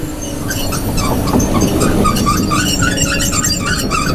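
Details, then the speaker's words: Dozer moving at auction with high, chirping squeaks over a low diesel rumble, from a failed bearing in the rear upper carrier roller that needs replacing. "there's some squeaking going on that we shouldn't you guys hear that squeaking"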